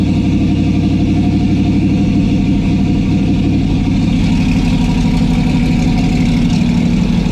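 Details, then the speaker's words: Throttle-body engine in a sub-2,000 lb, 450+ hp car with eight throttle butterflies that are hard to balance: steady, even high idle around 1500 rpm because the cracked butterflies don't fully close; thumb pressure on a butterfly drops the idle. "so i don't know if you heard that but when i put my thumb on that butterfly the idle came down"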